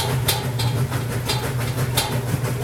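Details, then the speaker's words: Roper washer on rinse cycle after a long soak with laundry: low steady hum broken by sharp, irregular clunks every half second to second; knocking source unknown. "You can hear that knocking sound. Just really not sure where that's coming from. And it's on the rinse cycle,"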